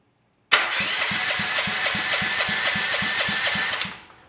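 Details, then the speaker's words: Honda GX390 engine (salvaged from a generator) fitted with a clone bell housing, no fuel, no exhaust yet: even, steady starter cranking with regular compression pulses about four per second, no catches or grinding; healthy cranking. "let's just test this make sure the starter works and we can hear the engine spinning at a higher speed want to make sure it sounds"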